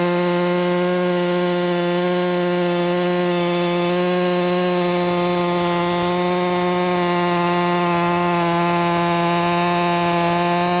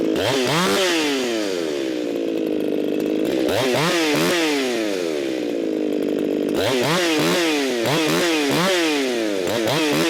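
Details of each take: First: Ported Echo 4910 chainsaw with muffler mod, high-speed tuned to about 14,800 rpm, cutting wood: high, steady, even scream with no bogging or four-stroking; healthy, correctly tuned for this saw. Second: Echo 4910 chainsaw (modified), warmed up after long storage, tuned by tachometer aiming for 13,500 rpm: high two-stroke scream rising and falling in blips, then hanging at full throttle near 15,000 rpm; mixture far too lean.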